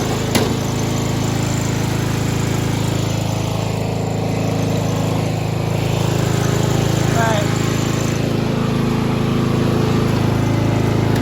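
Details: 1995 Craftsman LT4000 lawn tractor, engine refitted after a sump gasket replacement, oil leaks fixed, no battery fitted: a steady, even low thrum with no misses or knocks; it idles nicely, though the carburetor still needs work.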